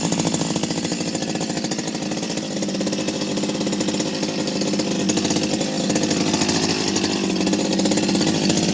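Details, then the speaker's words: Stihl 025 chainsaw after full rebuild from the bottom end up, with new seals, original bearings and a modified muffler: crisp, even running that revs smoothly without stumbles; healthy, well-running saw. "um change the seals obviously so nice running chainsaw nice noise everything"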